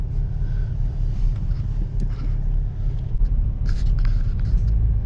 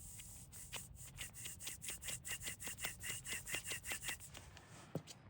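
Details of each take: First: 2005 Subaru Outback test drive after replacing front passenger wheel bearing, under 40 mph: only low, even road rumble, no growl or hum rising with speed; new bearing sounds healthy. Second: 2005 Subaru Outback removed front passenger wheel bearing spun by hand: gritty rasp pulsing two to three times a second, massively different from the new bearing; worn bearing.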